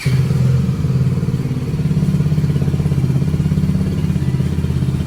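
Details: Royal Enfield Hunter 350 single-cylinder idling after tappet adjustment: even, steady thump at about three beats a second, no ticking on top; earlier tappet noise now gone, sound smooth and healthy.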